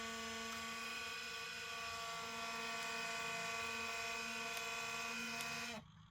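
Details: 2005 IBM ThinkPad R52 1846-A59 laptop (built Feb 2006, Pentium M 1.86 GHz, 1 GB RAM) booting Windows XP: loud, steady high-pitched cooling fan whir that stops abruptly; owner suspects the previous owner never maintained it.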